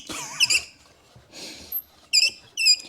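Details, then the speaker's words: W126 Mercedes heater/AC blower motor, removed from under the passenger-side dash: sharp high chirping squeaks in short bursts as the fan turns. It spins poorly; the squeak persisted after transmission fluid was applied. Blower motor bearing squeal, before repair. "I don't know where the squeak is is it inside the motor it seems to work fine"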